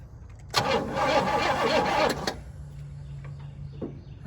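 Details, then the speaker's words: 1966 Pontiac Grand Prix, 389 V8 with four-barrel carburetor, sitting since 1992, cranked via remote starter at the starter solenoid: under two seconds of even chugging, about four beats a second, no dips. Normal cranking compression. "compression does not sound bad"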